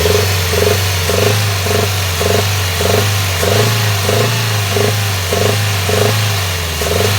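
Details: Toyota 2NZ-FE engine held at high revs, sound also appears under load uphill: deep rumble with pulsing beat about every half-second; service says timing chain is fine, valve replaced and screen cleaned, cause still unknown.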